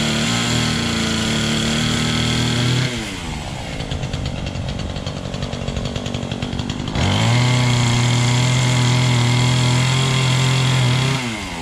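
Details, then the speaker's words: Small engine fired up on choke, little fuel in tank: buzzes steadily at high revs, drops to lumpy idle, then revs cleanly back up; normal running. "Anyway, from what I remember, this fires up just fine."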